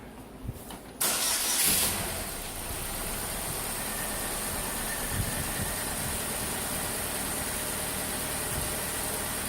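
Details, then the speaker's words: Saturn Ion after cylinder head replacement, fresh oil, filter and spark plugs, earlier oil starvation suspected: cranks and catches in about a second, then a smooth steady low-rpm idle with no ticking or knocking; normal idle. "Just leave it on low RPM, let the oil circulate."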